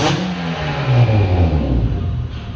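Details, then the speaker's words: 2004 Acura TL with a home-built 3.5L stroker (J32A3 block and heads, J35A4 crank and rods, 0.5 mm overbore, high compression), breaking in and burning off assembly oil: clean rev to exactly 3,000 rpm and back, strong intake rush, no knocks or rattles; normal revving. "High compression. That's 3K exactly. And 3.5 stroker. You can even hear the intake sucking the air."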